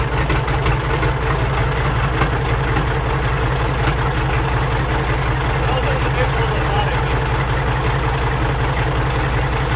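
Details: Peterbilt pulling truck diesel after installing large used custom 3406E-type injectors, in neutral: deep steady idle with even low throb, about two to three pulses a second; runs smoothly after starting.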